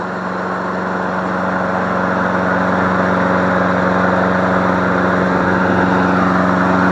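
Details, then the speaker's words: Free MTD Select Series 21-inch self-propelled mower, suspected sheared flywheel key, running on leftover fuel: steady even fast idle, no misses, knocks or surging; sounds healthy. "you sound pretty darn good"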